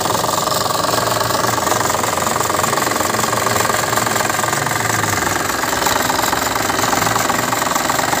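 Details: Suzuki Ertiga diesel hybrid four-cylinder at idle, used-car check: even, steady clatter with no metal-on-metal knock and no stumble between cylinders; healthy engine.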